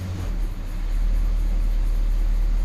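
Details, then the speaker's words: 1966 Ford Galaxie 500 V8 at warm idle after Pertronix electronic ignition replaced arcing points and the idle was set: deep, even rumble with no stumble or hunting. It previously missed badly off idle with a jumping timing mark. "clock now as you can see it idles good before but before when I took it off of idle that would miss real bad and the timing mark would jump all over it to steady as a rack"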